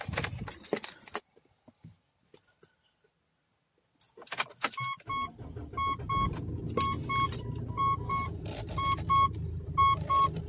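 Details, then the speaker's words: 10-year-old Mitsubishi Pajero idling under a repeating double warning chime after the steering was serviced: turning the steering wheel now brings no rubbery squeak, creak or rub; noise gone. "Yeah, it's gone. No more noise. Quite good."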